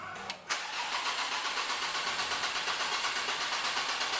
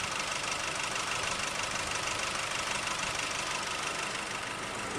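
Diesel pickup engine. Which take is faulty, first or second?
second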